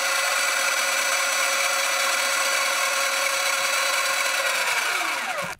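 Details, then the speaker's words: Sur-Ron electric motorbike stock belt primary drive sound test: smooth, steady high whir with no clicks or grinding, winding down evenly; healthy belt primary, compared against a chain primary drive conversion. "this is a sound test for the belt drive"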